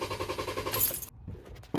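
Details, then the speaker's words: 2016 Kia Sorento oil burner with P0304 misfire, all coils disconnected for a cranking test: starter turns it in an even, steady chuff rhythm about a second, indicating no mechanical or compression issue. "The last thing I'm going to do is I'm going to just disconnect all the coils and listen to the cadence of the cranking. And that test will basically verify that there's no mechanical or compression issues."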